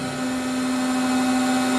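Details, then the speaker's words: Lauffer RMT 100 hi-speed straight side hydraulic press, ram pressing toward 80 tons set after recalibration: steady hum at one constant pitch, slowly louder as the ram builds pressure; healthy press reaching set tonnage. "And go back into auto, one manual mode, and then you can watch the ram tonnage now. We're pushing for 80, you might"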